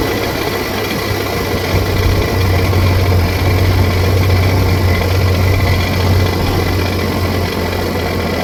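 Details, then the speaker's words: Sea-Doo RXT personal watercraft on water hose with oil pressure gauge fitted, idling to warm up: steady low idle with a faint constant high-pitched warning tone; gauge shows no oil pressure, owner unsure if gauge works, cause unknown. "Maybe it's just not working. I mean, I've used it before. I can probably test it somewhere on a different machine and see what it's got, but that would just be crazy to have no oil pressure."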